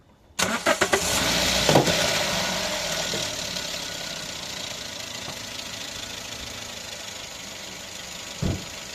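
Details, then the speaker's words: Toyota Yaris automatic petrol engine after replacing the ignition coil on cylinder 3 (misfire followed the coil when swapped to cylinder 4; oil found in the coil well): brief crank, quick catch, steady even idle, misfire counts zero, no trouble codes. "Deci nu mai avea erori."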